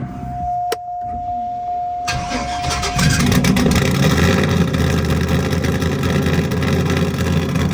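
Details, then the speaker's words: Damaged $100 4.8L V8 after nitrous drag racing and revving to 7,400, uneven lumpy cranking as if low on compression in at least one cylinder, then fires and runs on, still sounding good. "definitely cranked like it was low on compression and at least one hole but just listen this thing fire up"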